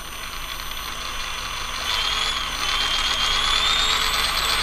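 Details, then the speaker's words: Castle Cobra 10 ESC with a 3500 motor on 3S in a rock crawler, on the bench at steady throttle: high electric whine shifting pitch in steps, the motor hunting between low-speed startup and running frequencies. "I'm not I'm not changing my throttle at all all right so it's still doing it I barely changed my finger and it went down barely changed my finger went back up pretty big difference between the two"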